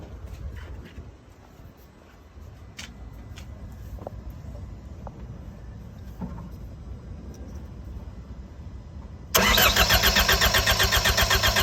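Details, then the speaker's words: MCR machine on a jump pack with the fuel pressure sensor disconnected to allow cranking: after a click the starter cranks steadily at about four beats per second, but the engine never catches. No fuel pressure. "At least we're trying to start. We don't have enough fuel pressure, so the engine won't start, but we're allowed to start now."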